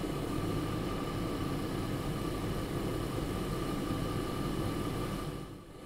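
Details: Jeep Grand Cherokee WJ 4.7 L after a water pump replacement, warming up with the radiator open and coolant bleeding, A/C off: steady, even idle with a smooth low hum and faint constant whine, no knocks; healthy.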